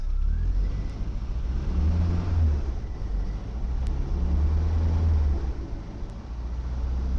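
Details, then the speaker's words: 1975 MG Midget with 50,000 original miles, cold start with the choke pulled out a little: the small four-cylinder revs up and back down twice, pulling evenly and smoothly with no knocks or misfires; normal cold-start revving. "You get to pull the choke out a little bit when you start it, and oh, listen to that."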